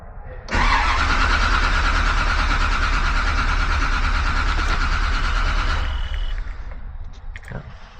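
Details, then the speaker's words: 1956 Chevrolet Bel Air, intermittent no start, two 6-volt batteries in series, voltage dropping while cranking, flood-clear full throttle: starter spins evenly about three beats a second for five seconds, no firing; injectors show no duty cycle. "I crank it long enough, it doesn't want to start. Why don't I have an injector duty cycle? It's not firing the injectors."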